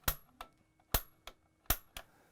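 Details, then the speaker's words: Atmospheric water heater pilot relight, access panel off, control knob pushed in at the pilot position: three sharp crisp snaps about a second apart as the piezo igniter sparks, and the pilot then lights with a blue flame. Normal igniter clicking. "Click that 2 or 3 times. And you could actually put your face here to look in the sight glass to make sure that the pilot's running."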